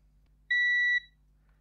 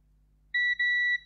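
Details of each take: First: Faulty Xbox One S 1TB that powers on then straight off: clean, steady half-second multimeter beeps on each probe touch while checking filters for shorts; continuity, filters read as fine. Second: Xbox One S 1TB that powers on then straight off, with burnt traces and solder blobs: the meter gives two quick high continuity beeps, so the probed traces are shorted together. It is uncertain whether that is normal.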